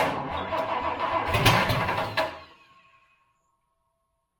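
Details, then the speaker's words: Project Toyota FJ40 Land Cruiser engine on starting fluid; the choke is spring-loaded and unusable. It cranks with brief catches that don't hold, then dies to silence. Owner suspects a fuel supply problem. "was a good sign all right I'm assuming we're having fuel issues"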